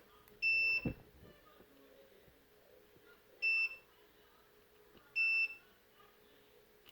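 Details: NOCO GB150 jump starter board (turns on then off, charging stuck at 25%): a multimeter check on a capacitor near the LED driver gives three short, clear high-pitched beeps; the capacitor tests good.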